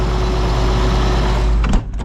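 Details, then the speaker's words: John Deere 8820 combine diesel after exhaust manifold gaskets replaced and aftercooler and coolant manifold refitted: deep, steady idle, no ticking or puffing at the manifold, then winds down; sounds much better. "that's a big win that is a big win I'll let it run for a a little bit let it warm up some"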